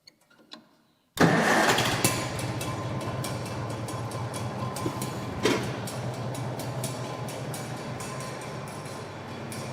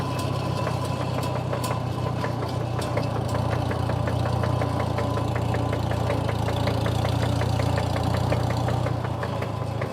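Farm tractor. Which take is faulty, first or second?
second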